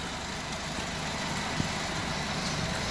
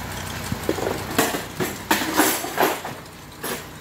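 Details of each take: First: Honda engine after a misfire and fuel knock with check engine light, repaired by taping ignition coil wiring pins and clearing the codes: quiet, even idle with a soft steady rumble and no knocks or misses. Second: Honda with check engine light and misfire: uneven knocking bursts over rough idle, then it settles; misfire traced to a faulty or poorly seated ignition coil, described as fuel knock from unburnt fuel.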